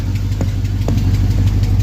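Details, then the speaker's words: 1975 Ford F350 body on a 2004 Cadillac Escalade 6.0 liter AWD chassis, after sitting about two years: low, even idle burble with steady rhythm, no tapping or stumbling; runs smooth, drives and shifts nicely, normal idle. "Running really smooth. Pretty wild for sitting for so long."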